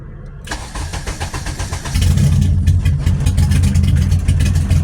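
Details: Honda KRX with K20Z3, all-motor preliminary tune with no idle valve fitted: cranks, catches cleanly and settles into a steady, even idle with no throttle held; a healthy start and idle.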